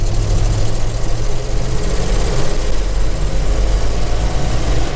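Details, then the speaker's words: 1969 Ford F100 on a drive after new front suspension, steering box and 315/75/16 tires: deep, steady pull under load with no knocks or misses, a strong, healthy engine; a clicking, possibly the throw-out bearing, goes away under load. "it's got good power real strong healthy engine"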